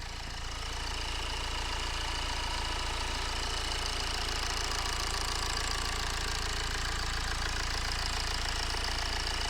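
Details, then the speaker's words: 2011 BMW X1 E84 at 132,000 miles, cold start after replacing crank pulley, serpentine belt, water pump, tensioner and harmonic pulley: steady, even cold idle with fine quick patter and no belt screech; squeal gone, probably from the crank pulley. "in fact actually why don't we start her up and then I can show you how quiet she is so this is a cold stop"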